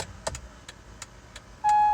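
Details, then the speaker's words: Acura MDX after the faulty buzzing turn signal relay was replaced: crisp, even ticking about three per second, then a chime; the turn signals now work normally. "so let's try the turn signals all right yay turn signals work"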